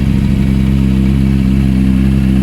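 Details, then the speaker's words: Triumph TT600 salvage motorcycle, first start-up: flat, lumpy idle that never picks up revs, uneven beat as if only some cylinders fire. "so actually drawing that test the entered limp mode as if it was only running on two cylinders it was fine because you can trickle at home but there's n"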